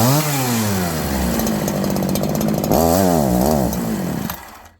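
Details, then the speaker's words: Farmertec 288 kit chainsaw, warm, started on choke, low and high jets at 1.5 turns, idle screw turned in: idle climbs, drops and climbs again in uneven waves before dying; hunting, surging idle, owner suspects a massive air leak. "It's 2 minutes ago I thought I had a massive air leak. It was idling, it started racing, going down, racing, going down. Then it wouldn't idle."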